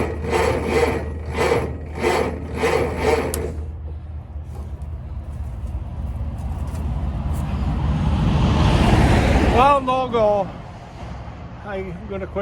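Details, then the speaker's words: Massey-Harris/Ferguson 35 combine, 6-volt system, first start attempt after filing points: slow, even cranking beats for a few seconds, never fires. Seems to have good even compression; owner plans to pull the plugs next. "gonna quit for today. I'll be pulling the plugs next probably. You can hear it seems to have good even compression."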